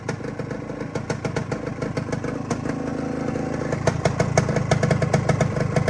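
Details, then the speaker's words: Freshly rebuilt 1972 Suzuki TS185 two-stroke after a new top end that fixed very low compression: steady, even idle with a crisp regular popping beat and no misses or knocks. It purrs nicely, a healthy normal idle. "But here's a walk around here. I'll give you a quick little. Listen how nice that thing purrs."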